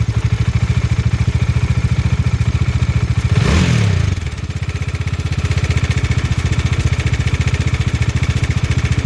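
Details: Bajaj Dominar 400 engine before tensioner replacement: steady ticking rattle over idle that stays through a quick rev; slack cam chain from a worn tensioner with excessive play, fixed by fitting a new cam chain tensioner.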